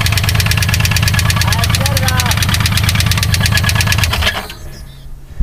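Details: 1986 Pontiac Fiero SE 2.8L V6, 4-speed manual, run out of oil through leaky valve covers: loud, rapid metallic rod knock until shutoff; teardown found two rods missing bearings and four more spun bearings.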